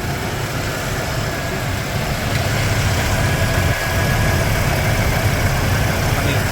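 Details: 1995 Ford F150 V8 at idle, hot, after an oil change: even, rumbling idle with fan and belt whir louder than the engine; it runs smooth with no knock, and there is almost no blow-by.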